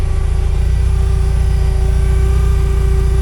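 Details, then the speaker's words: 1979 Porsche 924 idling after warm-up with new fuel pump, after fuel tank cleaned of dirt and water: deep even idle with thin steady pump tone, no loud howl like old pump; normal. "makes noise, but not nearly the same howl as the other one."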